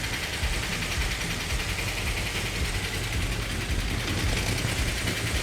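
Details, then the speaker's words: V8 Mopar 440 Magnum with new roller rockers and roller lifters, idling loud and steady with an even lumpy beat, no knocks or ticks, just slightly high; asked to turn the idle down a hair. "turn turn the idle down a hair for me"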